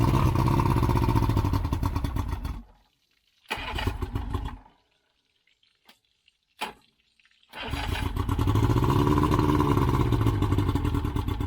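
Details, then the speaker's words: Yamaha 115 outboard that was bogging on throttle-up, after a blown head gasket replacement, test run on muffs/ears: steady, even run with a brief dropout midway, then settles back smooth; running good. "All right, that is how you fix a blown head gasket on your outboard engine. Yamaha 115, running good."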